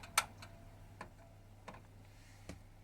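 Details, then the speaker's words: Boiler keeps pinging and clicking irregularly over a faint hum after it stops firing. The owner thought it was cooling down, but the noise stops completely when the boiler is switched off, so the intermittent clicking has no clear cause. "It's still pinging, clicking. And it will do this for ages, it will just keep doing it."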